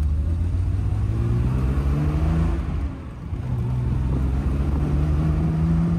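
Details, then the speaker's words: 1973 Triumph TR6 on road test, ran well about two minutes then started skipping; uneven low engine note that dips and stumbles, rough misfire, owner suspects fouled spark plugs. "initially she ran well but that was for like literally two minutes and then she started skipping sounds like the spark plugs are fouled"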